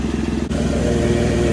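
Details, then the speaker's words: Chevy Tracker/Grand Vitara at idle, failed state inspection: loud raspy puffing with each firing pulse, not super loud; doughnut gasket already replaced; exhaust leak traced with tubing to under the heat shield, cracked flex coupler in the engine pipe. "Chevy Tracker has an exhaust leak what are we going to do it's not super loud but they failed it at the state inspection"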